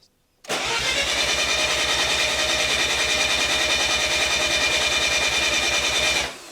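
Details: Mazda RX-7 FD 13B bridgeport rotary at operating temperature, compression test on rear rotor, one plug swapped for tester: steady even cranking pulses about 200 per minute for six seconds; normal compression.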